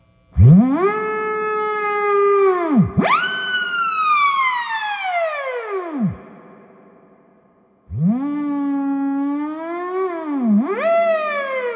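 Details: Fender Blues Deluxe reissue combo, drive channel selected (switched instantly), drive halfway up with master engaged: sliding test tone comes through clean and rich with no crackle or dropout. Only a buzz from a plug in the jack with no signal. Drive channel normal.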